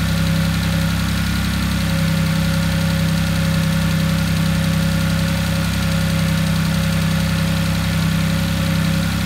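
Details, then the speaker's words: Audi S4 being rebuilt, starts and runs well: steady deep even drone, no knocks or misses, slightly throaty, possibly from the exposed airbox cover and a defective, possibly leaking exhaust clamp; normal running. "there we have it she starts beautiful sounds fine prepare engine sounds good lit sounded a little bit throaty but that might be to do with the fact that the Mississippi air box covers exposed and possibly that exhaust clamp in the myth it was obviously defective"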